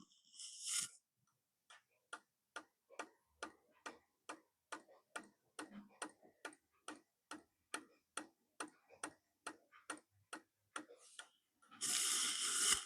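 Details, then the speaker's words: Repaired solar rocker toy, microphone moved close: quiet, even drive ticks about twice a second in a silent room, relatively quiet on its own; normal clicking after the fix. "Because even though that's relatively quiet on its own, when you've got dozens of them all clicking away, well, Nanny doesn't like it."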